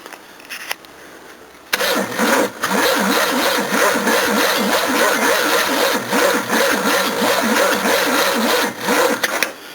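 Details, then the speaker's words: Small, not fully charged battery cranking a 5.7-litre 351 V8 with a lazy starter on long jumper leads, at night: slow, laboured cranking of about 2.5 turns a second that never catches; partial pass, about 70%. "I'd say that's a partial pass. It is a small battery, hasn't got a full charge, and it's still able to crank a 5.7 litre with a lazy starter motor on long jumper leads."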